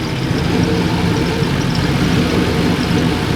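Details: Holden HX one-tonner ute with turbo LS V8 swap, first run: raw loud deep rumble with choppy idle burble, running with no muffler; turbo did not quieten it, muffler to be fitted.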